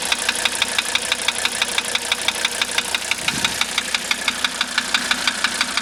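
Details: 1985 Mercedes 300D diesel idling with diesel purge running through it: sharp, even metallic tick about twice a second over the idle clatter; steady knock, cause not yet clear.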